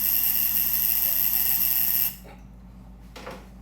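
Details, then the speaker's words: 1914 Ford Model T Speedster, negative ground, sitting 51 years, ignition on via battery: a bright, steady trembler-coil buzz for about two seconds then cuts cleanly; coils buzzing one by one, so spark is available. "Can't hear nothing from the coils. One is buzzing. Okay, let's test them all. So, now another one is buzzing."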